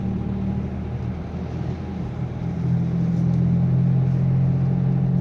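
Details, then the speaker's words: Nissan Sunny driving: a low droning hum under road noise, with noticeable vibration, grows stronger as speed rises and persists in neutral while the engine itself sounds normal; wheel bearing hum. "य आप देख सकते हैं कितनी ज्यादा vibrate है गाड़ी में हमिंग साउंड है ओके जैसे जैसे स्पीड बढ़ेगी तो और ज्यादा ज्यादा आती रहेगी और न्यूट्रल में भी आएगी"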